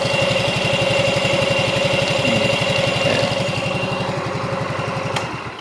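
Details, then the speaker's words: Yamaha X Ride that had lost compression, after repair: a steady, even putt-putt at about four beats a second, with idle turned down as low as possible without dying. The previously rough sound is now smooth; a normal low idle. "Oh ya, ee masalah suara sudah bisa halus kan kemarin kan suaranya kasar toh."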